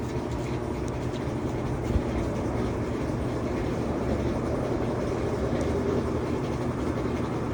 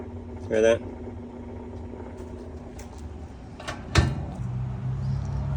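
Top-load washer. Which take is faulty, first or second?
second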